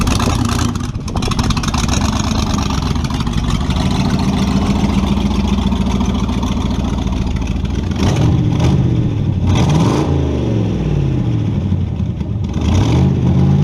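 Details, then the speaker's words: Model A with a 350 small-block Chevy (hydraulic roller cam, 9:1), tunnel ram with two Edelbrock 600 cfm carbs jetted lean, in a driveway test: revs climb, then flatten and wander unevenly at full throttle; owner unsure if rich or lean. "well see what i'm dealing with just falls flat on its face you put it to the floor can't have that"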